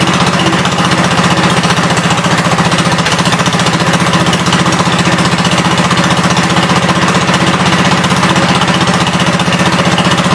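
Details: 1972 Gravely 430 single-cylinder engine running normally after fuel system restored up to the carburetor (small drip at fuel pump inlet): steady, even fast thump, no knocks or odd noises; high-low axle works, moves forwards and backwards.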